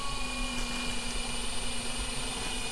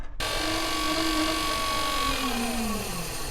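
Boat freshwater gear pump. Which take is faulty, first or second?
second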